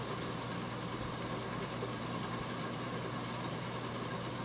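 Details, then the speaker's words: 1988 Hunter Embassy 42-inch ceiling fan, model 25644, 172x12mm motor, on high speed at roughly 240-250 rpm; constant rough rushing rumble with a low steady hum and no hiss: very loud, worn bearings. "those bearings are ridiculously loud at least they're not hissing"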